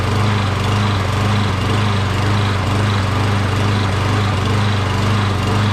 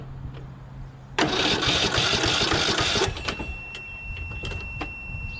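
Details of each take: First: Briggs 12.5HP SOHV engine on a Poulan XT PXT12538 lawn tractor, possibly auto choke, long unused and just refuelled: starts right away but surges a little, note rising and dipping about twice a second. Owner suspects debris from sitting; smoothed out after about a minute. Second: Briggs 12.5HP SOHV engine on a Poulan XT PXT12538 lawn tractor, brake safety switch engaged: about two seconds of steady, even cranking without catching, showing ignition switch, solenoid and starter work; normal starter cranking.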